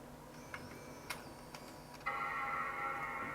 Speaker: We have a chime, I can hear an optical drive going.